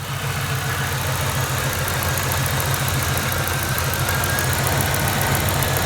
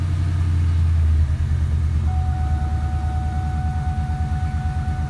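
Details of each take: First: 1999-2004 Mustang 2V just converted to E85 with 47 lb injectors and a new tune: V8 idles fairly evenly with a slightly rough beat, no knock, but dies if left idling unattended; cause uncertain. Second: 1999–04 Mustang 2V just converted to E85 with 47 lb injectors and a new tune; first start. Steady, even idle rumble with a regular low beat and a faint whine; sounds healthy, checked for leaks. The owner later notes it dies if left idling unattended.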